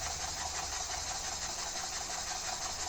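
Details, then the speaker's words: Homemade slide valve mill engine running: light quick beat about three knocks a second with slightly uneven rhythm and a clunk; suspected bind from a slightly misaligned rod, owner may rebuild base and bearings to tighter tolerances; unconfirmed. "I may just have to rebuild the base and the bearings uh to tighter tolerances. Speed it up. You can still hear that clunk"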